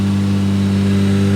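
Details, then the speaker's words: Toyota JZX110 Mark II, replacement JZ engine, just after first start following cooling system and turbo hot-side changes: smooth, even idle with steady low hum, no ticks, knocks or misses; quiet exhaust, running cleanly. "Sounds great. Sounds like a JZ should. Perfect. That engine sounds so good. Yeah, that sounds so smooth."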